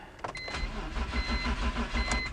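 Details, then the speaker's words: 2004 BMW E46 325Ci just reassembled: steady starter churn with rhythmic low pulses that never fires; cranks but won't start, no spark traced to a blown ignition fuse. "Obviously, I've put it back together and we should be good now, except it cranks and it doesn't start."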